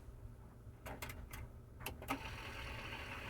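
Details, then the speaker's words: Yamaha KX-670 cassette deck that will not play (it runs a second then stops): a few mechanism clicks, then a smooth, steady whirr as the tape winds; fast forward works normally. "let's see if we have fast forward fast forward is working"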